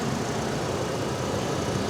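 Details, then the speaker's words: 2007 GMC Canyon, Vortec 2500, 119,000 miles, at auction: steady even low idle with no knocks, ticks or misses; engine sounds great. "This engine sounds great."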